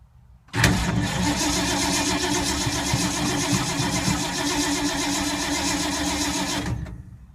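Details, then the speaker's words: 1952 Ford sitting for months, hard start: steady cranking about four turns per second with no catch; owner suspects flooding or points/condenser from moisture, then thinks it isn't getting spark; crank, no start. "wow five minutes of crankage and nothing what a boring ass video he's getting tired battery's gonna die"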